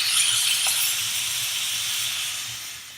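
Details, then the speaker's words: Pressure cooker on a big gas flame reaches full pressure: steady high steam hiss as the weight lifts and vents, then slowly fades; heat can then be moved to the smaller ring. "hissing noise and you can see that the little vowel that beat us so we're up to pressure"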